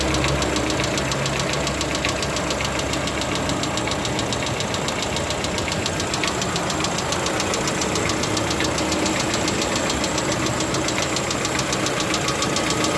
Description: Стук гидрокомпенсатора, Lada Vesta 2016, признано заводом как норма!